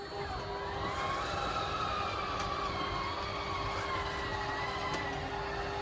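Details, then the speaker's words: Schwintek RV slideout before repair: motor drone with a wavering tone that sags as it labours, slide extending only an inch or two; slideout motor bogging down, later repaired by Lippert. "out hear how it's bogging down"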